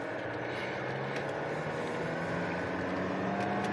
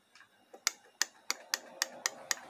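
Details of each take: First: 2010 Holden Cruze 2.0 turbo diesel, 6T40 automatic, 246,000 on the clock, code pressure control solenoid valve 4 stuck off, road test: engine drone climbs with no drive in second. Slips in second and sixth, third engages; solenoid or pressure leak suspected. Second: 6T40 six-speed automatic transmission solenoid (Holden/Chevrolet, fitted to a Cruze slipping in 2nd and 6th), bench-tested at 10.5 volts: crisp, even clicks about four per second with a clean snap each time; solenoid operating normally.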